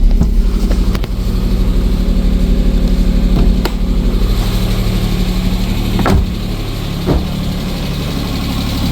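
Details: Daewoo Tico three-cylinder petrol engine, about 6000 km since rebuild, run only on petrol, idling before a valve adjustment: steady, low, even beat with a few stray clicks from around the car; normal idle.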